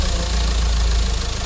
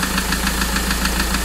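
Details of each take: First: Mahindra XUV500 diesel after an engine overhaul for a tak-tak knock caused by coolant-leak overheating, idling before a test drive: steady, even low firing beat with no stray knock; normal idle. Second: Mahindra XUV 500 that overheated from a coolant leak: sharp, regular tak-tak knocks about seven per second over a steady idle; mechanic suspects piston damaged and worn from the overheating, engine to be removed for overhaul.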